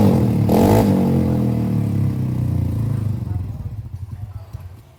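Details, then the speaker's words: Honda Beat FI scooter, hard starting and no idle, before teardown: engine catches and runs unevenly at about three pulses a second then fades out; overly stiff valve springs loading rocker arm and camshaft. "Seperti yang kalian lihat kalau misalnya motornya itu susah dinyalain ya, Guys."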